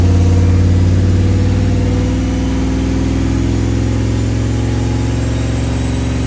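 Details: Turbocharged Dodge Dakota R/T on dyno at full boost, after new plugs, wires, cap and rotor: heavy low exhaust roar with uneven, stumbling pulses; still seems to misfire, power unchanged, compression, leak-down and boost leak checks fine.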